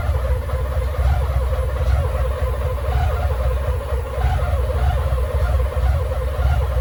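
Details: BMW K75 motorcycle with starting problems and rough idle, run with the air flow meter unplugged: deep, slightly uneven idle rumble; cause suspected, not confirmed.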